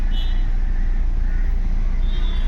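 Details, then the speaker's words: Audi Q3 diesel after fixing crank-but-no-start (fuel pump suspected, DTC P307300): engine starts perfectly, steady even low diesel rumble at idle with no misfire, knock or hunting; normal idle after repair. "ये देख सकते हो engine एकदम perfect start हो गया।"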